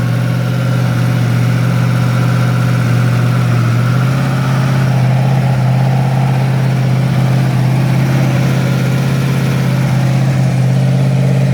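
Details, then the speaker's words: Freshly rebuilt Ford 302 V8 on its first start, with little advance and running slightly rich: deep idle with an uneven, loping beat as a cylinder keeps dropping out. It is misfiring at idle and the idle is dropping low; vacuum is about 17 in. "Misfire, I can hear it missing. Hang on, I'm running out of idle. I don't want that going too low."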